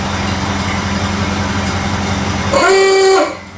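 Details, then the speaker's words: Model A Ford after exhaust manifold gasket replacement and a new battery, charging about 2 amps, idle being adjusted down: even, low four-cylinder idle holds steady before a horn-like tone; running smoothly. "That sounds better. Get that line down just a little bit. Sounding pretty good at the moment, but I'm going to be quick."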